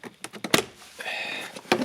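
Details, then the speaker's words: 2007 Peugeot Partner 1.6 HDi diesel (9HXC, 90bhp), ~102,000 miles: trim panel beside the door, shaken by hand, gives sharp plastic clatters and a buzzy rattle. Loose clips let plastic rub on plastic; the fix is felt tape on the edges. "I mean, there is a bit of a gap here, but you can see when the car shakes, this will really produce quite a bit of sound."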